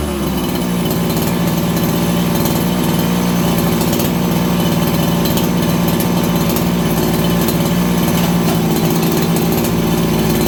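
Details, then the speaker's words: Farmertec 288XP kit chainsaw after an ignition repair (sheared timing key, spun flywheel), low jet richened slightly from lean: steady high-pitched two-stroke idle that holds even without dying or surging. Normal idle. "I'm going to give it a little more low jet. You guys hear that? It's crisper on the throttle and it settles down the idle faster."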